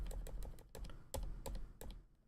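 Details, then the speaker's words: Ducky One 2 Mini keyboard with silent switches being relubed: quick keystrokes with a thin sharp tick on a right-hand switch that is still ticking. Adding a little more lube later removed the tick. "So there is still weird ticking going on."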